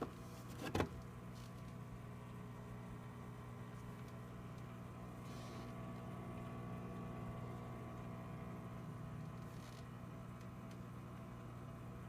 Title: UV sterilizer Making noises